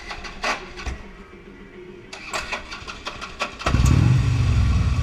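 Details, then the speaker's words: 2009 Harley-Davidson Electra Glide Ultra Classic, 36k miles, just refuelled after riding: uneven clicks and short crank before warm V-twin catches into lumpy idle; hard hot restart every time, also limp mode and check engine light, cause unknown. "just after startup there's always an issue with restarting the bike"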